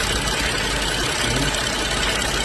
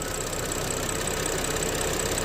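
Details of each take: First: BMW X5 N55 after valve-cover PCV repair with new membrane and spring, cap siliconed: smooth even idle with a steady hiss and no stumble, shake or misfire; normal idle. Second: BMW X5 N55 at low-rpm idle: thin steady high squeal, heard as if from the rear crankshaft seal or bell housing, over an even idle. Pressing the valve-cover PCV makes it disappear; its spring seems too long. PCV valve squeal.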